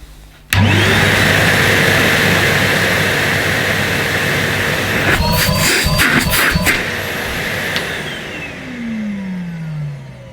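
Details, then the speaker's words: Numatic Henry Pet Pro vacuum cleaner, 2021, motor on high power compared with a 2006 1200 W Henry: steady, even motor whine holding pitch with a few handling clicks; smooth healthy running motor. "still a very nice smooth running motor and here's henry"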